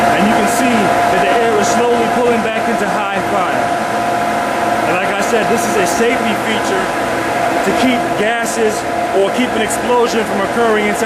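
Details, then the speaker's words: Steam boiler burner pre-purge, blower forcing unwanted gases out of the combustion chamber before ignition. Steady, even blower rush over a constant hum, no surging or rattles: normal pre-purge. "inside of the boiler in case any gases have not been vented out. This will pretty much force out any unnecessary gases or unwanted gases out of the combustion chamber until it is ready for"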